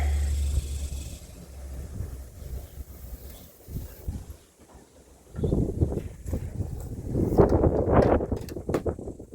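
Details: 1958 Chevrolet Bel Air 4-door hardtop, engine rebuilt at a vo-tech but never finished, first start attempt with 2-stroke gas in the carburetor: starter churns over in uneven bursts with no firing. Cranks but won't start; owner later sanded the points.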